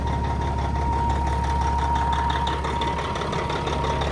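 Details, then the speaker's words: 1990s long-hood Peterbilt 379 with old Caterpillar diesel, 2.5 million on it, at an auction yard: deep, steady idle with an even beat and no knocks or misses; sounds healthy. "That old cat sounds good though, doesn't it?"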